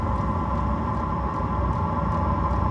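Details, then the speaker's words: Chinese diesel air heater running at full power: constant fan whir over low, even combustion rumble with no surging or sputter; burning cleanly at full output, normal running. "so it's gone up again to another one see that i think i've got this on full bore oh 31 i think it's 35 is full ball"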